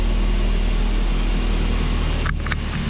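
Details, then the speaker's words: 1986 Volvo 245 DL wagon, 141 cu in inline-4 redblock (about 100 hp), original mileage, about 60 psi oil pressure: smooth, steady low idle with even firing, no tapping or misses; runs great. "But yeah, that's the Volvo red block. It's 141 cubic inches. I think it makes around 100 horsepower, not too much, but yeah. Runs great."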